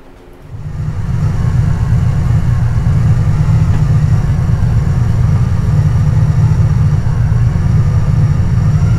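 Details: Carbureted Camaro Z28 V8 with a stalling history, after a distributor swap and radiator repair, timing set to about 6.5: the engine settles into a steady, even low rumble. The idle is smooth and healthy.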